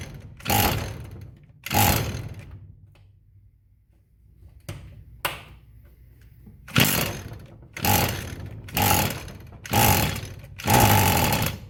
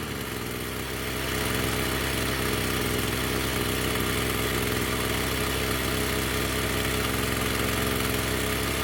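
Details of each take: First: Echo SRM-210 string trimmer found discarded, idle time unknown, with a deteriorated purge/primer bulb: repeated pulls give short sputtering bursts that die, then it catches. Hard starting from poor fuel delivery. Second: Echo SRM-210 two-stroke string trimmer after new purge bulb, fuel lines and straightened idle screw set higher: steady even idle with no surging or dying, running well.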